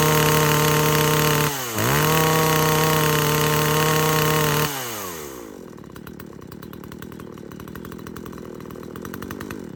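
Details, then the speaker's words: SHIN KOMI TSK40016Z 40cc two-stroke chainsaw that stalled at high revs, with the carburetor cleaned and the high-speed mixture screw being set: it screams at high revs with a brief dip, then drops to a rattly idle. About 2.5 turns works; carburetor replacement is recommended. "那目前测试起来大概2圈半可以，但是我个人还是不建议去调化油器啦，因为你不可能调到跟原厂一样。"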